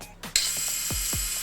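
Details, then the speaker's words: Krytac Kriss Vector airsoft gearbox after a DSG upgrade with a new motor and Lonex Spyral kit: a short, crisp whir with clean cycling and no harsh clicks. The motor has play and the owner expects it needs shimming. Normal gearbox cycling. "Yeah, man, sounds quite good. But if I turn around, definitely needs some motor shimming."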